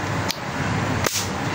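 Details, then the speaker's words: Pedestal fan running slow despite a new capacitor; the removed fan capacitor, about 3.5 µF, is shorted after charging and gives two sharp, crisp snaps over a steady hiss, showing it holds a good charge. Normal capacitor discharge. "इस तरह की इसकी आवाज आएगी। तो, इसका मतलब यह है कि जिस तरह का यह ब्लास्ट दे रहा है ना"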